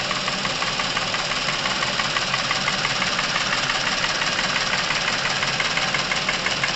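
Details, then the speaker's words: Chevrolet Epica, over 200,000 km, warm engine during Dimexide oil flush (100 g per litre): steady light ticking about three per second over idle; noisy hydraulic lifters and camshaft in the cylinder head. "прошу обратить внимание на изменения в работе двигателя которые происходят мгновенно при попадании димексида в масло"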